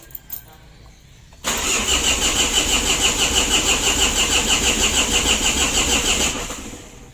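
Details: Mitsubishi L300 diesel that is hard to start, knocks and lacks power; it only ran yesterday with starter and a push. Oil, battery and glow plug lights work, and it cranks with a steady rhythmic churn for about five seconds but never catches.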